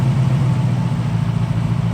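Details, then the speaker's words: Ford 5.0 V8 swapped into a Foxbody, first start with a stock H-pipe and no cat-back exhaust: a deep, even burble with a steady low rumble, idling down smoothly with no misses or ticks. A healthy runner. "so there we are she purrs like a kitten that's with a stock h pipe on there's no cat back yet"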